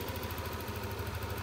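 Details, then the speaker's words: Yamaha NMAX scooter after fixing warning light and high idle caused by dirty ISC and throttle setting too high: smooth, even idle with steady low hum, no hunting or stumbling; idle now normal. "Oke ini sudah selesai saya coba lagi nah sudah sembuhm-nya sudah normal ini untuk motor nmax"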